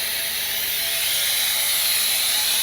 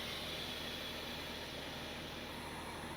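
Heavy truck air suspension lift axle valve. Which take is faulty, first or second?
first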